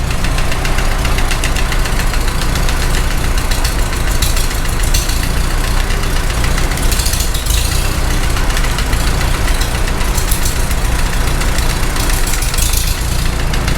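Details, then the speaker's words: Farmall H tractor, first start after rebuild, idling: fast even light top-end tick, likely one rocker; noise eases when a suspect valve is held open with a screwdriver. "noise goes away when you hold that well I think we're zeroing in on it anyhow"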